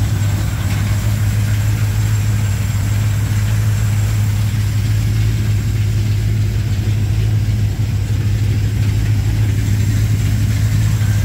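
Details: 1987 Chevrolet K10 squarebody 4x4, V8 warming up at idle on first start after replacing a blown head gasket; smooth, even low rumble, no knocks or stumbles. Normal idle.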